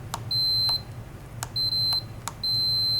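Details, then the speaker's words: Star Trac treadmill Quick Start/Stop replacement keypad, multimeter continuity check on pins before reinstalling: three clean high meter beeps about half a second each with probe clicks; stop switch works, keypad good. "and my stop is definitely working now i can go ahead and just reinstall this and we got a good operational keypad"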